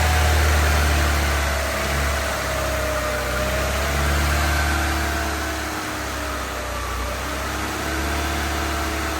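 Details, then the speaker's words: Honda EK hatch, D16Y7 freshly refreshed (head gasket, water pump, timing belt, seals), first start-up: idle rises and sags every couple of seconds under a faint belt squeak. Owner suspects burning off oil, not an exhaust leak; irregular idle. "That's a weird idle. Oh, there's an exhaust leak for sure. Actually, no. It's probably just burning off oil."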